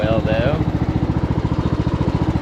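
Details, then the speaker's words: 2014 Ariens 42-inch riding mower driving forward, with a failing stator to be replaced (about 14 V at idle) and no brakes or reverse yet. A fast, even single-cylinder thump of about eleven beats a second with no belt squeal; the drive is normal. "no noise on the drive belt I don't want to run it too long with it charging the battery like that"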